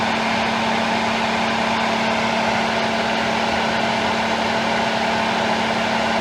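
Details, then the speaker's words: 2013 Ford F-150 with A/C on, high-speed fan triggered when high-side pressure exceeds 200 psi: a steady fixed-pitch whine over a loud fan rush; the A/C compressor is still whining, overcharge a concern. "all right just kicked on all right compressor is still [Music] whining"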